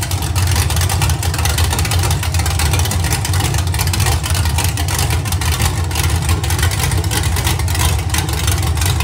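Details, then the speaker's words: Iron 5.3L LS LM7 V8 (believed 2002–2003, mileage unknown) on a run stand with open headers, supposedly a BTR Stage 2 truck cam: loud open-pipe rumble, mild idle lope that goes away with any RPM; runs healthy, not very loud. "yeah you can see the L basically totally goes away as soon as you give it any RPM but sounds pretty good and it's really not that loud"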